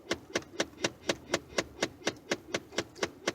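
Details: Ford F-150 with sharp, evenly spaced clicks about twice a second behind the dash, continuing regardless of settings; AC blows only through the defrost vents. Blend door actuator suspected, not confirmed.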